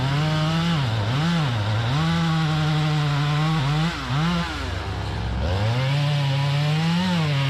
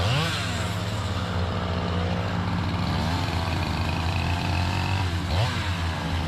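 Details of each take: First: Chainsaw with 28-inch full-comp bar, chain filed aggressively, cutting hard white oak: strong high revs dip slightly as the bar bites and pull straight back up; healthy under load, minutes before a crank bearing cage failure. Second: Chainsaw with 28-inch full-comp bar, aggressively filed chain, cutting white oak; howling high revs dipping under load then recovering, pulling strong until it locks up; bearing cage pieces found; crank bearing failure.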